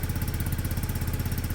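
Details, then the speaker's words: Restored Peugeot Satelis scooter after its first start following the rebuild: a quick, even single-cylinder putter at a steady low cold idle with no misfires, on the automatic choke. It doesn't want to rev yet but runs cleanly. "it might not start back up start back up doesn't want to rev yet but the automatic um choke"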